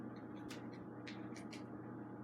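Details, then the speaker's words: Hunter Northshore ceiling fan, a curbside find, running on medium speed: constant low motor hum with a thin steady whine and a few light clicks from nearby video games. Owner suspects the box it sits on but isn't sure. "yeah, it hums. It's probably due to that box that it's sitting on. I'm not 100% sure"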